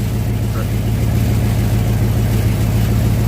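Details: 1967 Chevelle V8 idling on original wiring (minus front clip) after ignition switch cleaning, first run since 1977; deep, steady even burble, no knocks or ticks, oil pressure around 40 psi, alternator not charging yet; normal idle.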